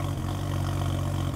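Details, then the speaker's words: 2015 BMW 640i with an N55 engine and 68,000 miles, started with the check engine light on: a deep exhaust idle with an uneven beat and an occasional stumble from an intermittent misfire. "all right so you can hear it we got a little misfire there"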